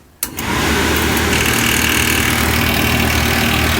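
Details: RV furnace after fixing an unbearable noise by re-securing loose parts with zip ties and tightening wiring: brief start-up thump, then the blower settles into a steady, even whoosh with no rattle; normal run.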